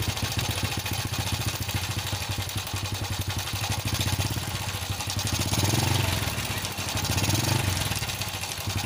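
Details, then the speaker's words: Honda Supra X idling: busy, uneven metallic jingle over the low thump, rough at low and high rpm and each blip; cause unconfirmed. "Nah, kurang lebih suaranya seperti barusan sudah saya hidupkan ya. Kurang lebih suara mesinnya seperti itu."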